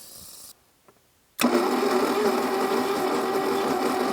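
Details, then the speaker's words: 1982 Plymouth TC3 unstarted for 32 years, spark plugs out with oil coming from the plug holes, after clearing a rat's nest from the belt: coarse, uneven churning at about four beats a second; rough cranking, noises gradually improving. "the noises are starting to get a little better as time went on"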